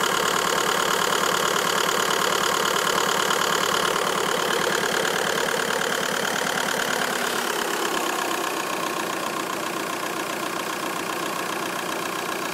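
At idle a steady, fairly regular light ticking runs about three per second over the engine, easing slightly as idle settles; cause unclear.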